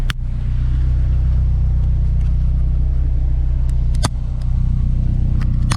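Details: Honda S2000 at idle after swapping fuel injectors: steady, even low exhaust tone without the intermittent extra tone heard before; idle no longer hunting around 1,000 rpm, engine running smoothly.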